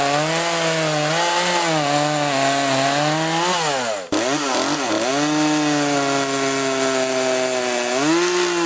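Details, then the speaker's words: Poulan 3818 chainsaw, 38cc with 18-inch bar, after carburetor adjustment for bogging: strong, steady high-revving two-stroke buzz that dips briefly as the chain bites into the log, then recovers cleanly; normal cutting under load. "anyways I'm back in the shop with it it runs pretty good it's not going to cut like a steel or aavara but for poing this size it's about as best as I'll get it"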